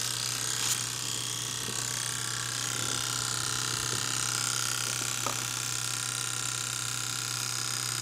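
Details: BMW E70 X5M S63 V8 just shut down after hard driving: fast, uneven clicking over a low electrical hum, passenger side, felt through intercooler, electric engine fan not running; owner suspects an injector still firing, unconfirmed.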